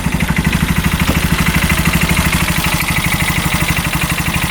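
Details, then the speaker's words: 2022 TBoss 750 Massimo EFI UTV, engine not smoking, clutch engaging: steady, even low thump at idle, about three pulses a second, no knocks or misses; normal idle, though the owner suspects rod bearing could still be bad. "there's a clutch going in there sounds good at idle doesn't it not too bad"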